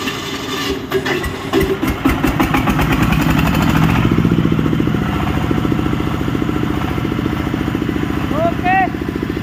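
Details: Sawmill (serkel) engine in a running test after work, electric-started: cranks and catches quickly, then settles into an even, steady beat with no knocks or misses; starts and runs healthy.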